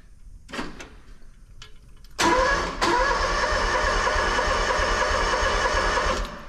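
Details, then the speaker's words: Engine on new 500-unit seed tender, battery just reconnected via kill switch; a few seconds of steady cranking, about three beats a second, no catch. Owner suspects fuel may be turned off. Cranks but won't start. "Uh-oh. Well, I don't know if it's gonna start."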